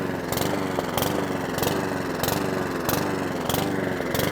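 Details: Mountfield 414 lawnmower, very smoky: engine hunts up and down about every half second in a steady rise-and-fall surge; fuel starvation, later traced to a blocked small filter inside the tank fuel hose.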